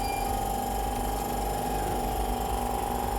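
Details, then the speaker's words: Unregulated vacuum pump with no speed control, always running at 100%, feeding glassware through a valve to a 250 mbar set point; continuous even mid-pitched hum with no knocking or surging; running normally. "the pump will always run on 100 and if we turn it on you will hear that immediately"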